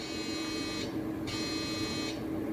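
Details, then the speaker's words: iMac G4 1.25GHz powered on for the first time: steady buzzing hum with fine whir, no clicking; abnormal startup noise, suspected dead hard drive, maybe heads unlocking; not confirmed. "so we're going to turn it on for the very first time and see what happens it's not good sound so I spoke too soon about it being fully intact"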